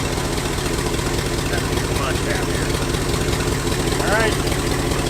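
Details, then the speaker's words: 1971 Lincoln Continental Mark III running on old gas: idle was set too far open and caused dieseling; after two turns were taken out of the idle adjustment, it holds a steady, even low idle with no hunting. "I guarantee it will be just fine because I took two turns out of that I bet it'll even idle around the RPM it's supposed to now"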